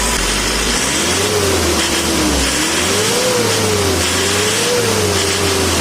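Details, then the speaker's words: Isuzu Panther 2.5/2.3 diesel after valve adjustment tune-up: smooth rises and falls through quick throttle blips, clean responsive pickup, no knock or rattle; engine healthy. "itu seperti ada spring bed nya guys kalau mesin itu respon cumi-cumi darat pasti ada spring bed nya kalau ngegas ya guys"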